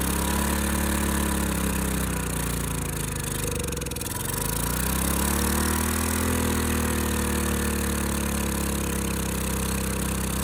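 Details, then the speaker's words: Ridgid generator's Yamaha MZ360 engine, about 10 years old, idle 4 years, first run after carburetor cleaning on starting fluid. It runs steadily but too fast, sagging briefly mid-clip and then picking up: high idle from a sticking throttle. Possibly lean. "All right, so I'm not quite sure what's going on. It did run a little fast. This seemed to be stuck, so it's not stuck now."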